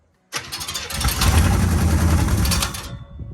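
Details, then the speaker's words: 1965 Acadian Beaumont V8 first start after sitting, running on poured fuel: engine catches and revs with harsh metallic scraping as the fan or belt rubs the transmission cooler line near the radiator; rubbing on transmission line. "Okay, something's rubbing. Don't want to hurt that rad any more than it's already been done. Where is it hitting? Oh, it's hitting the transmission line."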